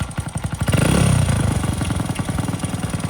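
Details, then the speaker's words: Dirt bike recovered from 10 ft underwater in a lake and restored, warmed up at idle: uneven popping that never climbs into a clean rev when throttled, a suspected carburetor fuel delivery issue. "when you give it throttle doesn't rev up we ride it around I'll show you that's not really going to work"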